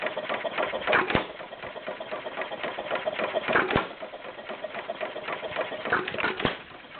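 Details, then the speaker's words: Stover CT-2 hit-and-miss engine, 2–2.5 hp, slightly warm from running a couple hours earlier: sharp single firing bangs a couple of seconds apart over light mechanical clatter, taking two intake gulps before it fires; easy start, running normally. "starts pretty easy see it's taking two uh in intake gulps before it fires"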